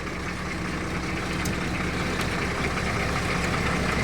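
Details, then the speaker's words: S700 truck just started: no cough (ไอไม่มี) and soft-sounding engine, steady even diesel clatter with deep low rumble, no misses or knocks; normal idle. "เริ่มมาแล้วนี่สตาร์ทเครื่องนะครับนี่ไอไม่มีแล้วก็เสียงนิ่มๆเลยครับ"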